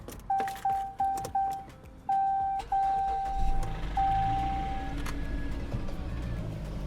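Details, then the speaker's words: Door chimes, then the starter turns briefly and the engine catches right away into a steady idle. "started right up."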